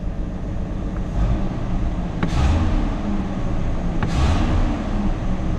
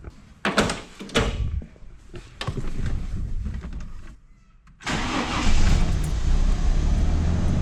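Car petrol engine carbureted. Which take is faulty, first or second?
second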